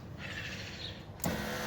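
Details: 2010 Acura TSX after window regulator replacement: smooth steady motor whir as the glass travels, ending in a firm thump at the stop; power window operating normally.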